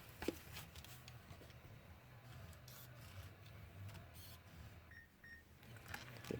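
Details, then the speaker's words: Car 6-disc CD changer (Holden, Ford, Toyota, GM, Nissan, Mitsubishi type) loading discs one at a time: faint whirring and small clicks from the mechanism, then two short beeps calling for the next disc; normal loading, don't force the disc in. "Don't jam the disc in, since you can see there it's actually loading something there. So no point is jamming this disc in."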